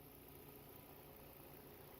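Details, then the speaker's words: 2011 Volvo XC60 3.2 six-cylinder at idle after swapping in a used ignition coil to cure P0302/P0304 misfires on cylinders 2 and 4: steady, even hum with no stumble or skipped beats, engine now running smooth. "See, can you hear the change? There you go. And now the engine sounds smooth."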